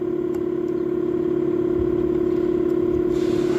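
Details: 2006 Lexus GS350 with a no-start, no-DTC fault, now starting after relay-related fix: steady even hum, constant pitch, no stumbles or starter grind; runs normally.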